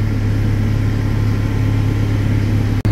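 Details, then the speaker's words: Fendt 313 Vario SCR tractor after AdBlue fault limp mode and power loss, now reprogrammed: deep, steady diesel drone with an even beat and no knocks or misses; pulling cleanly at full power. "Nu, lūk, pēc šūšanas programmēšanas fendiņš aiziet ar pilnu jaudu pilnā šlunkā."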